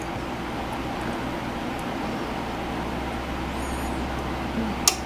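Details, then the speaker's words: Adcom GFA 555 power amplifier on the bench with ground wire and 8-ohm load: steady hum and fan noise, then one sharp relay click as protection engages, working properly. "clicks into protection so it works properly with that ground wire and we just heard it click Adder protection"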